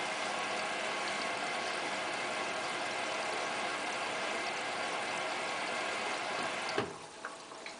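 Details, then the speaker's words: Hotpoint Ultima WT960 washing machine, 60°C cottons test with a 7 kg load, early in the wash: steady watery swish with soft motor hum, motor bearings audible, no knocks or scraping. Normal wash tumble. "you can now hear the motor bearings doing washy"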